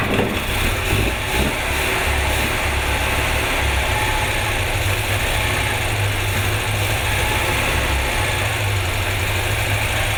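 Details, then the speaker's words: Car engine on first start after ignition work, with one spark plug lead left off: rough, lumpy idle with an uneven low thump and a missing beat, running on three cylinders. "Shut her off. We're running on 3 cylinders. That sounded rough. Thought it was a little odd."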